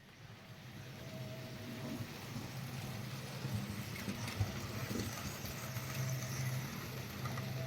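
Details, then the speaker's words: Restored GEM kit NER R1 / LNER D21 4-4-0 OO gauge model locomotive with Zimo decoder running on track: light busy mechanical buzz, faint steady whine and soft rattle; quite noisy, cause unclear. "As you can hear, it's quite noisy."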